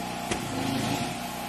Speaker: see it was spinning so I don't know what she's talking about